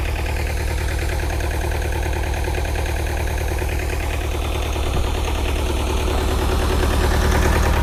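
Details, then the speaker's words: Bobcat T595 Doosan diesel at cold idle, heavy white smoke and fuel smell, won't run under hydraulic load. Regular low chug about three beats a second with some unevenness; injector probably stuck open, suspected: rough idle. "So that much white smoke does tell me that we have an injector probably stuck open, unfortunately."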